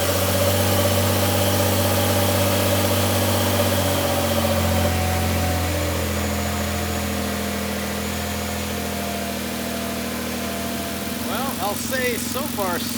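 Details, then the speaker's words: Rebuilt 2014 Nissan GT-R, first start after repairing fuel leak, expected sluggish while rebuilding fuel pressure: brief crank, catches, steady even idle, smooth low hum, no knocks or misses; no seeping or fuel smell found. "Now it's gonna start a little slow, a little sluggish, because it needs to build fuel pressure again, but I expect it will start."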